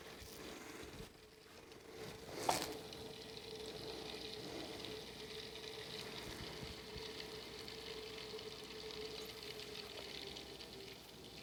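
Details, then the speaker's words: Custom PC water-cooling loop after a drain, flush and refill, being burped: faint steady pump hum with a soft fizzing trickle as air bubbles migrate around the loop; air bubbles still in the cooling loop. "give it a little more time to get the air bubbles to migrate back around we burp it again"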